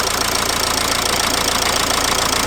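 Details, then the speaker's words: Dacia Logan at idle and on acceleration, owner suspected gearbox: steady idle with rapid even chatter and hiss following engine speed, heard near the accessory drive; not the gearbox but a worn accessory belt pulley, belt to be removed to check pulleys. "I realized it is not from the gearbox ... The noise comes from the accessories kit."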